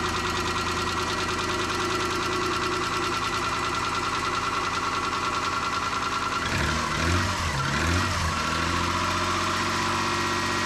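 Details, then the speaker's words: 1995 Nissan Pathfinder WD21 petrol engine first start after timing belt replacement, with no water pump or cooling fitted: idle with a quick, uneven puffing tick from an exhaust leak at the rear. "Hear that exhaust leak back there? That's aggravating."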